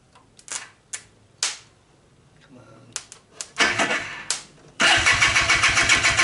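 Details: Barn-find Polaris Xplorer 250 two-stroke on 40:1 premix, cold start in gear after a carburetor clean that still leaks fuel: a few cranking bursts, then a rough run at about four beats a second before stalling once the fuel is swallowed. Cause unconfirmed.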